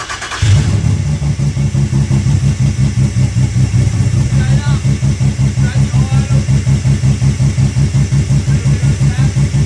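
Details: Rebuilt Ecotec race car engine after a melted piston, first start: catches quickly and settles into an even, steady low pulse with no knocks or ticks; oil pressure above 60 psi at idle, did not get hot; healthy.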